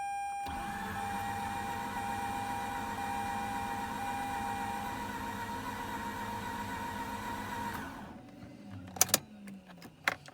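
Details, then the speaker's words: Mazda RX-8 rotary that won't start, cranked again. Fast, even starter spin, much quicker than before, with only very mild hints of firing before it stops; it still won't catch. "Spinning much faster from what I could say. It's almost the background starting to catch a little bit. Very mild. Just very mild."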